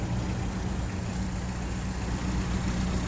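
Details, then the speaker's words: 1981 VW Rabbit with 1.6 turbo diesel swapped from a 1991 Jetta; low, even diesel clatter at idle with steady rhythm, no misfires or odd knocks; sounds great, runs great, healthy small diesel. "and uh it's a fun little thing sounds great runs great it's got a 1.6 turbo diesel out of a Jetta 91 Jetta she's an 81 herself"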